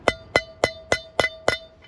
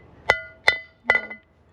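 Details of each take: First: Caravan wheel bearing service: six hammer taps about every 0.3 seconds on a race driver, each ringing clear and metallic; tone changes once race is fully seated in the hub, not yet seated here. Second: Caravan wheel bearing service: three sharp hammer taps driving the bearing race into the hub; the bright ring fades to a duller thud and the hammer bounces back, showing the race is fully seated.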